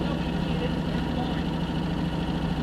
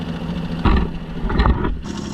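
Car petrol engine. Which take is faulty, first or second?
first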